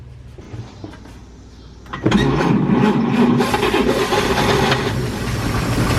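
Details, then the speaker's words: 1949 Chevrolet 3100 truck, first start after about 30 years in storage (since 1990), ignition tumbler installed, spark plugs back in, gasoline poured into carburetor: quiet cranking, then it catches with a rough, uneven roar and runs only about 3 seconds. "Yes! All right, so you guys heard this thing running for, I don't know, 3 seconds, something like that."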